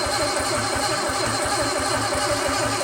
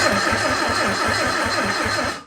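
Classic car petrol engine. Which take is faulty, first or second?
first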